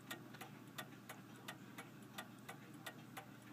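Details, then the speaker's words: 1874 F. Kroeber cast iron clock, freshly cleaned after years not running, ran all day then stopped at 5am: sharp ticks about three per second with unequal gaps, seeming to speed up and slow down; out of beat. "I'm not too entirely sure about the beat on this clock. It sounds like it's not quite right, but"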